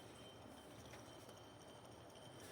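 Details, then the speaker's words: 2003 Toyota 4Runner 4.7 V8 removed idler pulley spun by hand: faint steady rough hiss with thin high whine; spins freely but noisy worn bearing, part of squealing/chattering belt-area noise. "It spins really nice, but it's noisy. So, that's the old one."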